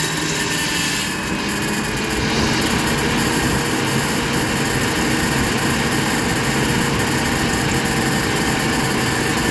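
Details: GMC Envoy with a broken power steering pump shaft, intake and air filter assembly removed, started up: engine runs with a steady, even roar and a hiss over it, no knock, whine or grinding standing out.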